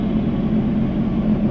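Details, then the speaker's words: Sea-Doo jet ski restarted after nearly sinking in a lake: steady, even idle around 1800 rpm with a smooth low drone and no misses or knocks; idling healthily. "1800 RPMs sounds good"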